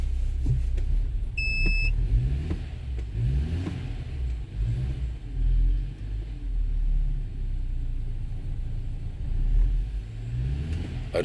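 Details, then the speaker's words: 2012 BMW 528i xDrive F10, N20 engine, automatic, after replacing faulty engine computer with a used, coded one: low, even idle rumble with no stumbles, a short beep and handling noise; earlier misfire believed gone. "you remember in the first video there is a misfire i don't believe we have any misfire in this car now"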